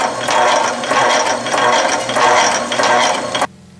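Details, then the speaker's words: Atlas/Rhodes metal shaper with a Whitworth quick-return mechanism set for a long stroke: a rhythmic ratcheting clack about 95 times a minute, with each return stroke faster than the cut. It is operating normally. "if the stroke is set real slow it's not so evident or real short rather it's not so evident can you see that the return is faster than the forward cutting"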